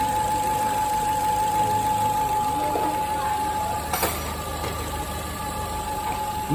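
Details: Fiat Firefly 1.3 four-cylinder petrol engine at idle: loud, steady whining hum from a punctured PCV diaphragm in the valve cover.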